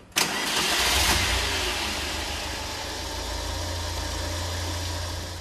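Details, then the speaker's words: Engine left standing over two years, after carburetor cleaning to remove gum: starts straight away and settles into a steady, even idle with no misses or hunting; normal idle. "você vê a imagem como está funcionando em marcha lenta tudo né de uma forma bem normal"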